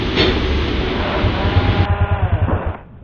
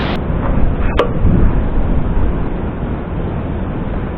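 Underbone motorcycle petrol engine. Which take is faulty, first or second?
first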